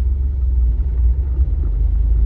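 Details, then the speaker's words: Ford Ranger 3.0 Power Stroke diesel, 175,000 km, four-wheel drive engaged: heavy low rumble with no clear rhythm under the truck, worse with 4x4 on; customer thought it was the gearbox, but noise traced to the transfer case. "a tração ligada agora. No mínimo assustador esse barulho, não é mesmo?"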